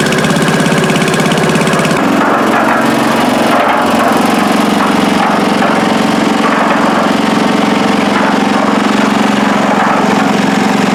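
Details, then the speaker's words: Old Stone concrete mixer, small single-cylinder engine, first run after rehab and greasing, needed choke; catches after a cough and settles into a steady, even putter with slightly lumpy beat; normal running. "I'll try to start it up now. We can listen to it run for the first time. And hopefully it does run."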